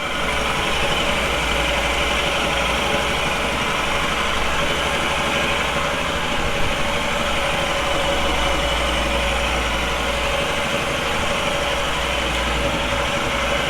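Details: Royal Enfield Himalayan single just after a Tec cam installation: even, steady idle with a consistent beat and no ticking, knocking or rattles.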